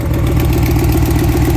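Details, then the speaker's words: 2005 Lincoln Aviator with rebuilt 03/04 Cobra V8, stock manifolds, Flowmaster Super 10, 156,000 miles, idling a little high: steady deep idle with faint quick ticking from exhaust manifold leaks on both sides; exhaust manifold leak tick. "I have an exhaust leak because I ended up staying with the uh stock exhaust manifolds just cuz the long tubes I got were damn near impossible to install."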